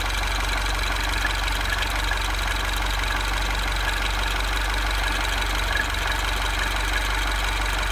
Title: Bruit moteur